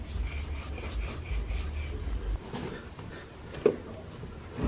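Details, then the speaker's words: Front wheel bearing from a 2004 Chevy Tahoe 2WD, old hub spun by hand: a dry, rough rasp with a gritty low rumble and light ticking. Worn bearing, less bad than the other side, being replaced. "okay so here's the old one not as bad as uh not as bad as the other one which is this one right here but you can still hear"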